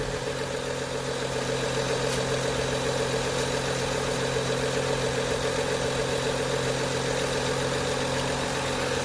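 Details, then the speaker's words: BMW E90 N55 six-cylinder petrol engine idling smoothly after replacing the belts and pulleys: no rattle or chatter from the belt drive. "good there's no rattling as you could hear overall the whole diy is less than 20 minutes"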